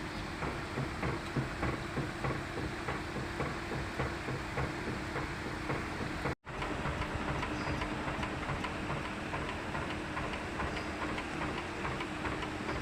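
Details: Car driving on road with uneven knocks and clacks under road rumble; lower control arm knock suspected, not confirmed.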